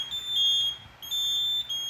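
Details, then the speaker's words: Home fire alarm panel during inspection, battery disconnected in the battery cabinet: shrill high-pitched beep in long pulses with brief breaks as the panel goes into trouble: fire alarm panel trouble tone. "Let's wait for the panel to go into trouble."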